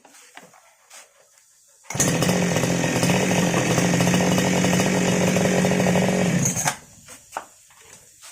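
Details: Grass cutter that previously would not start, after carburetor cleaning: catches and holds a steady, even buzz for about five seconds before shutting off; clean, healthy running.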